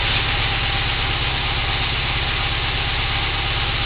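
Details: 1987 Toyota 4Runner 22RE with original ECU at idle: low, pulsing, lumpy rumble, uneven running suspected as a misfire.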